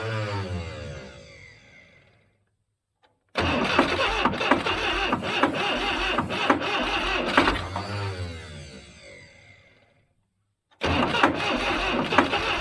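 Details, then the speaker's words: 1976 Broderson IC70 crane, abandoned for years, needs a starter, fuel tank cleaned: two cranking bursts on starting fluid with sharp, irregular detonation bangs over the starter whir; the 12 V solenoid is working. "you could hear it detonating with uh starter fluid like that it just needs a starter they said"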